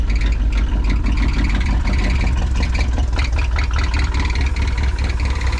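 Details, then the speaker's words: 1973 Ford F-250 after fuel system replacement, first start drawing from the tank: deep, uneven idle with an irregular lumpy beat about ninety a minute, stumbling near stalling; owner suspects not enough fuel. "Oh, she about to cut off. I don't think I had enough fuel, y'all."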